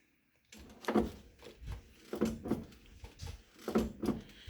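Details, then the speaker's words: Mercedes 300SD W126 front passenger door after installing a new door check strap: door worked back and forth with soft uneven thumps and no sharp pops; the earlier popping noise is eliminated and the door opens and shuts easier. "All right, so I've been working the door back and forth, and looks like we've eliminated our popping noise."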